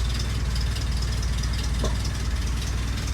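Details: Willys Jeep petrol engine restarted after nearly 15 years unused: low, even idle thump with a steady beat, no sharp knocks or misses; healthy idle after restart.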